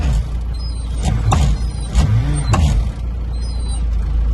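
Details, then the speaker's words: John Deere 2450 70 hp diesel tractor, about 40 years old, overheats: low steady chugging with short harsh crunches as reverse is forced in; gears grinding, owner suspects bust synchro or gear selector, probably both, needs new gearbox. "You heard it grinding when I was putting it in reverse. That is because I don't know. Synchro is a bust, or the gear selector's bust."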